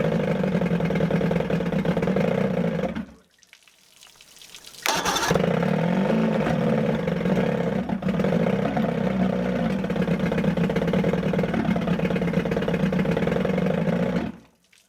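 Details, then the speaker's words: 1978 Evinrude 115 hp outboard runs with uneven firing pulses and two brief cut-outs, as if fighting itself; owner suspects timing is off. "almost sounds like the timings off and so it runs but it's almost like it's fighting [Music] itself"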